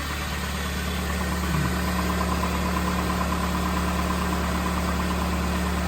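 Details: 2005 Chevy Malibu 2.2L with over 250,000 miles, first start after head gasket replacement: steady low idle hum with an even, slightly loping pulse and no knocking or ticking; engine sounds healthy.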